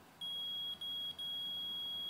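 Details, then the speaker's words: AC compressor continuity test with a meter between terminal leads: a steady high-pitched beep holds almost continuously, showing continuity and intact windings. All three leads are checked this way. "the first test you're going to want to hear that sound it's continuity so you go from one lead to the other"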